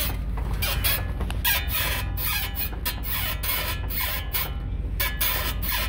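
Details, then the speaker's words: 2007 Ford Explorer front suspension rocked: repeated rubbery squeaks about two a second from a ball joint, a chronic squeak often misdiagnosed as a bushing. "the chronic ball joint squeak that people always confuse with a bushing or something like that it's not it's ball joint"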